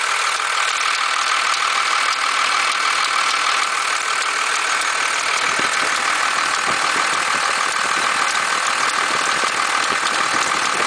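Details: 1991.5 Dodge Cummins diesel idling: hissy uneven clatter with rough rhythmic knock about three to four beats a second, tensioner visibly bucking; noise disappears as rpm rises.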